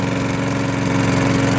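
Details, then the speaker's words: Curbside-rescued MTD mower, Tecumseh single-cylinder: even, steady beat with no metallic rapping. The earlier hard rapping noise is gone and it sounds normal; it is still on 0W-20 oil pending an oil change. "that hard metallic rapping noise could gone away sounds like a normal lawnmower now"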